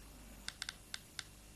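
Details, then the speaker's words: Geiger counter held to a wristwatch dial: sharp random clicks, about six in under two seconds, over quiet room noise, from radiation in the watch's luminous paint. "Ja, det är självlysningen. Det är fosfor. Va? Just det. Det finns radioaktivitet i den här färgen. Och det är det som ger de här knäppningarna."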